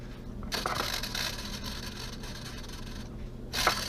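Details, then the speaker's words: BMW E46 tensioner pulley spun by hand with belt removed: dry rolling rasp like a roller skate that dies away after a few seconds, spinning freely unlike the replaced quiet idler; worn tensioner pulley bearing. "sounds like a roller skate that's when you know you need to replace your pulleys"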